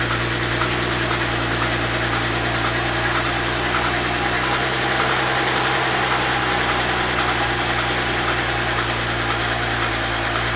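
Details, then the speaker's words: BMW X6 at idle after adding a litre of oil: dull, faint cyclic knock from low in the block, heard from below; connecting rod bearings suspected, oil pan shows signs of recent removal. "пока все сводится к тому что стук идет снизу как бы у нее не заскучали шатуны"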